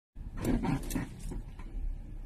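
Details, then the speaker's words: Toyota Crown/Reiz chassis; low, drawn-out groans and creaks in uneven bursts from underneath, also when steering and reversing: loose chassis bolt (possibly fitted reversed), gone after tightening. "有时候打方向的时候也响，特别倒车的时候。像我们升起来一般这种情况都是这个螺丝松了，我们把它扭紧，还要看一下这个螺丝有没有装反，如果它装反了也不得。"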